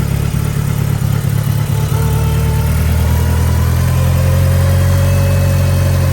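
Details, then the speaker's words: 1990 Mitsubishi Eclipse GSX after engine install, just started and warming up, DSM link not yet connected: deep steady idle with a brief early blip, smooth and even; running fine. "There she goes. So she's running. I haven't plugged in the DSM link yet, but everything seems to be running pretty good."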